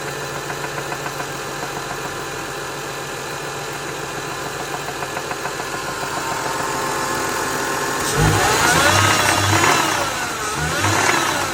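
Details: 2003 Lexus GS300 petrol six idling steadily with a light, regular knock of about three to four beats a second; the owner does not know the cause.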